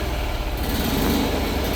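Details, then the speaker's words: Isetta being restored, running after replacing the Dynastart, fan still off, charging slightly (13.5 seen): small single-cylinder engine at a steady, even fast idle, firm low thrum, no knocks or misses, healthy. "Okay, we're running, and that's good news. We've got a little bit of charge."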